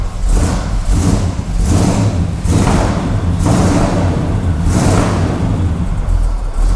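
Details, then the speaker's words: 1980 Pontiac Grand Le Mans with swapped-in 350ci (5.7 L) Chevrolet V8, first start running on fuel, carburetor reportedly needing work: revs rise and settle about once a second, clean and even with no misses or knocks; normal running with revving. "that sounds good wow wow oh mate that was an easy fix"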